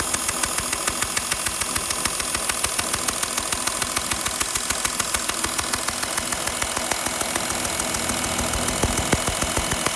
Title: Porsche cayenne 2012.3.0d exhaust leaks?